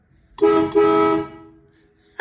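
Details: Supercharged 1961 Studebaker Hawk after a new body ground wire was fitted: two loud steady horn blasts go off the instant power is connected with nobody pressing the button; a stray short in the horn circuit.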